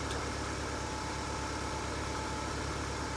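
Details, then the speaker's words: Mercedes W203 running again: steady, even idle with smooth hum, no knocks, misses or ticking; spins nicely compared to last time; healthy idle. "It's a good car."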